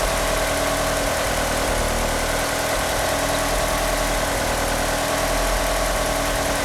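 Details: Car fitted with 850cc fuel injectors idles rough: loud idle with an uneven, lumpy beat and no steady rhythm; it also won't rev up, and the power steering pump belt slips.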